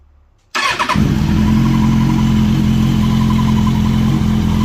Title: 2005 Zx6r strange noise at start up!!